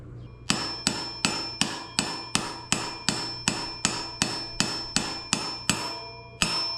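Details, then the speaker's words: Front wheel bearing, chilled in the freezer, being hammered into the hub of a 2021 Yamaha XT250 wheel: steady blows about once a second. The ring sharpens near the end, and the sound change shows the bearing is fully seated. "And I think that's fully seated. Made a different sound."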